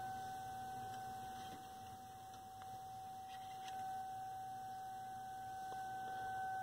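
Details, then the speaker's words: 1932 Aztec cathedral radio under repair after clearing a short: signal generator injected at a grid in the audio stage gives a steady pure mid-pitched tone over faint hiss through the speaker, quiet but present, so the stage passes signal. "injected it into that spot there pretty quiet [Music] but it's there so it is it's passing signal"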